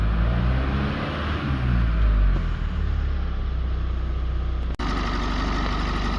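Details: 2016 GMC Canyon 2.8L Duramax diesel after timing belt and water pump replacement, hot after test drive: steady diesel idle, low regular clatter, no misses or odd knocks; normal warm idle.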